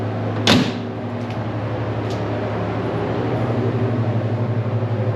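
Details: 1960 Pontiac Bonneville with AFB carb, dwell a little high at about 30 degrees: steady low even idle hum with a door-like thump at the start; smooth unbroken running, normal.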